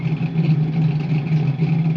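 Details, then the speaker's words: Fox-body Mustang with swapped MAF and ECU: low idle swelling and sagging in a slow repeating wave without stalling; hunting idle, owner suspects MAF not calibrated to injectors. "After lots of tinkering, the idle is kind of up, and then it'll fall back down. And then after a little while, it'll go back up, and"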